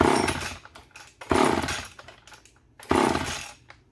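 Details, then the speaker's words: Vintage Poulan S25DAV (Super 25) chainsaw primed with fuel down the carb, throttle held open: three short bursts of running each dying within a second. "So yeah, you just got to keep doing that until it sucks fuel up into the carb, if it's going to."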